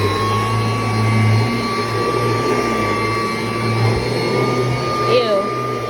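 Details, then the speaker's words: Kirby Heritage II vacuum, unused for a while and stiff, vacuuming a mattress with belt engaged: steady motor roar with strained rough undertone and constant high whine, never heard before; owner suspects bearings and wants them checked. "it sounds horrible I don't know what that noise is it's never sounded like that before I get that the bearings on this thing checked out that sounds absolutely horrible and like it's gonna get worse"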